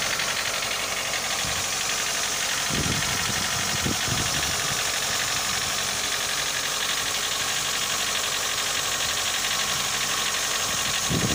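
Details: Mitsubishi Lancer 9 1.6 idling warm: a light, uneven tapping about three times a second over the engine. There was no knock on a cold start, only slight shaking; the knock appears once hot.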